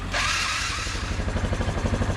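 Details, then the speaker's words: Barn-find Yamaha Grizzly 450 4x4 ATV, jump-started from a truck: steady, smooth low single-cylinder putter on choke with no smoke. "here it is running and actually running really smoothly no smoke coming out there"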